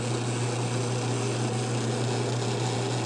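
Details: Frigidaire washing machine that would not drain, fixed without parts by disconnecting and reconnecting the drain pump's electrical connections, tested outside with about a gallon of water: steady low electric hum with water rushing through, no strain; pump draining normally.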